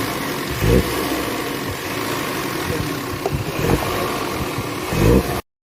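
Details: 2012 Audi A3 after spark plug replacement for misfire: smooth steady idle with three short throttle blips rising and settling cleanly, no stumble or shake; misfire fixed, engine running evenly.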